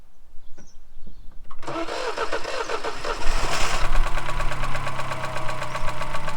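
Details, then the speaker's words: Mini R56 after the starter motor was removed, cleaned, regreased and refitted: brief cranking, then the engine catches cleanly and settles into a steady, even idle with no grinding from the starter. The engine was overfilled with oil. "So we've got the moment of truth. Is it going to start? We've fitted the starter motor. It started."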